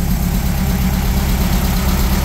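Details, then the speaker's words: Warm 1600cc VW dune buggy air-cooled flat-four after new plugs, an oil change and fixing swapped cylinder 1 and 2 plug wires: a steady, even low thrum at idle with no misses or knocks. It runs smoothly, with a carburetor rebuild planned next. "so uh sounding great running great heating upgrade next step's gonna be a car rebuild"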